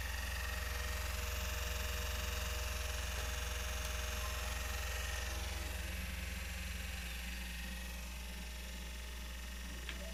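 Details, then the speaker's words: Sony PS4 console makes an abnormal loud whirring drone with faint steady tones that drop lower partway through, starting when a disc is inserted. The noise began suddenly the day before and its source is unclear. "Na hora que coloca o CD, olha o arrebento que faz, cara. Começou a fazer esse barulho ontem, tá?"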